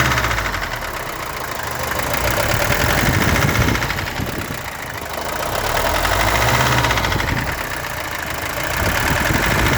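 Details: Mercedes-Benz W123 200D idling: constant hard knock near four per second above normal diesel clatter, heard everywhere, car runs fine; owner suspects glow plugs, camshaft, crankshaft or rod bearings, cause unknown.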